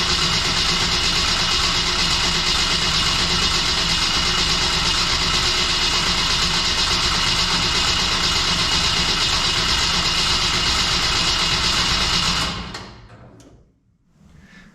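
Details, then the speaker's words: Long, steady starter cranking at about three beats per second that never catches, then cuts out, on a newly built stock-block LS at first start; not enough fuel pressure yet, and the battery's safety shut it off. "just trying to build fuel pressure I didn't build enough to start off that first time and then it uh shut the battery off because the battery has a little safety"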